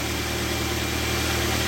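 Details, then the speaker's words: Car engine idling steadily with battery positive terminal disconnected after jump-charging a flat battery from a motorcycle; engine keeps running on the alternator, even hum with no misses: normal idle. "untuk plusnya dilepas dulu nggak masalah ini tidak mati mesinnya ya karena masih ada alternator ya dinamo jalannya ini"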